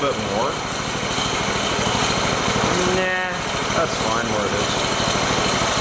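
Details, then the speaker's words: Shop mini bike small single-cylinder engine after fixing loose throttle bolt: steady, even idle putter, no surging, idle no longer creeping and speed about right; normal idle. "yeah see it's not creeping no more that's good I might try to idle it down just a little bit"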